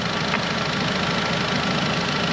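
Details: Audi TT Mk3 idling with coolant cap off to bleed air after water pump and thermostat replacement; heaters boiling, so coolant circulates, and it later stopped overheating; steady even idle, constant hum, no knocks or misses; normal.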